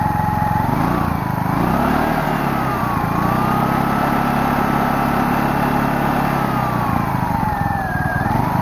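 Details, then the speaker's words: Small generator engine that sat for years in a pumphouse, choke sprung to on, air filter off: revs up and down unevenly and sags instead of holding idle, bogging; owner suspects the choke or rich running. "the choke is springed to the on position so it's kind of bogging because of that apparently"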